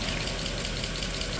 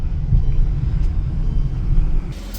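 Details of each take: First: Mercedes E63 AMG M156 V8 after sitting 8 months, cold start idle: fast light ticking over engine rumble, hydraulic lifters slow to pump up, common on this motor. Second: Mercedes E63 AMG M156 V8 that had lifter tick after sitting for months: after driving it warm with some RPM, it gives a deep, even idle rumble with no top-end ticking, smooth as a sewing machine.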